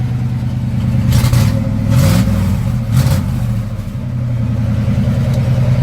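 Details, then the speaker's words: Chevy G30 ambulance small-block V8 (belt-throwing loose alternator bracket): loose, chuffing rumble at idle and on a few revs from an exhaust leak. "Also, the ambulance has an exhaust leak right now."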